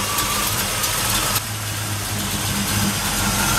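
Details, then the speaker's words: 1973 Camaro Z28 V8 with a radical cam and ceramic-coated Hooker headers, idling on its own during a monthly warm-up start: a loud, choppy, loping idle with distinct cylinder pulses. Normal lumpy cam idle. "as you can hear it's a fairly radical cam it's got that good old V8 sound those hydrocarbons think you can hear the individual pulses of the cylinders as they fire"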